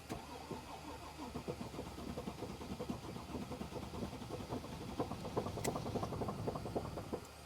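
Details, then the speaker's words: 2014 Mercedes GL350 3.0 L diesel, 241,547 miles, quarter tank, vacuum line found disconnected, battery charger on: uneven lumpy cranking about four beats a second, never catches; rough crank no start, cause unconfirmed. "It doesn't sound good, [Laughter] though. Oh my goodness. This thing doesn't sound good."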